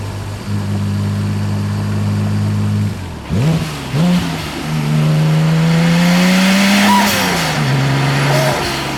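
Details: Audi B5 S4 test pull under load: engine revs up with an uneven, stumbling note and rough patches from a misfire on cylinder 2.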